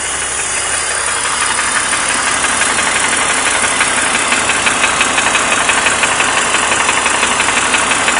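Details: 2003 BMW 330i E46 M54B30 with 158k miles: even ticking knock at idle, about three per second, owner sure it is bottom end, possibly piston slap; engine previously overheated, replacement cylinder head fitted, noise present for 50,000 miles, runs fine.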